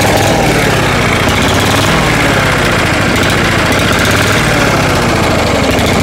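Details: Small mower engine with its carburetor needing tweaking; it runs best with the shutoff control in the shutoff position. It holds a low, unsteady idle and won't rev, sounding starved for fuel (suspected, not confirmed).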